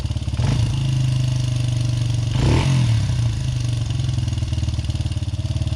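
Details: Honda XR80R single-cylinder, owned nearly 40 years, after new timing chains, cam and crank sprockets, valves and springs; cam sprocket found one tooth off and corrected. Partly reassembled, it idles with even thumps, then revs cleanly and settles back, running healthy.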